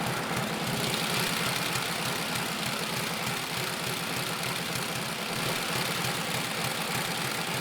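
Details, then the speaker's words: 1948 Harley-Davidson Panhead V-twin at first start after sitting unused for years, with fresh gas, oil and a new battery: a steady, even loping idle with no knocks or rattles. Sounds good. "head a 1948 pan head that I'm hoping to finish sorting out although it sounds pretty good now"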